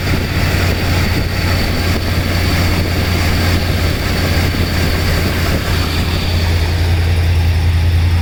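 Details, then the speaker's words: Freshly rebuilt 429 V8 in a 1968 Ford Thunderbird idling cold after sitting 4–5 days, about 30°F outside: deep steady rumble, even beat, no knocks or misses; exhaust and engine audible, normal cold idle. "But we're going ahead, give it a start up. You can hear the exhaust and you can hear the engine."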